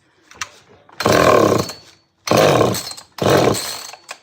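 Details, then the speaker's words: Cheap chainsaw with plenty of compression and limiter caps fitted: three short bursts of rough revving that die each time, catching but not staying running. The cause is suspected, not confirmed. The finding is hard starting and poor running. "Plenty of compression. Sounds like it's trying."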